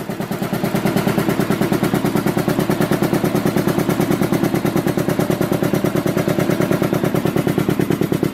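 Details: Rebuilt Canadian-made Devair 447 four-cylinder two-stage compressor pump, converted to a single-phase 10hp 240V motor: fast, even chugging pulses, no knock or squeal, running normally. One motor bolt is missing and the 8 in mounting plate flexes.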